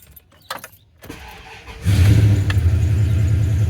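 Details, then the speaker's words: 1996 Ram jumped with an EverStart 1000 A pack: a brief starter whirr, then it fires within a couple of seconds and settles into a steady, smooth idle, starting fine. "Buzzer. H. That's interesting. It does work. But it won't work on you. I wonder why that is."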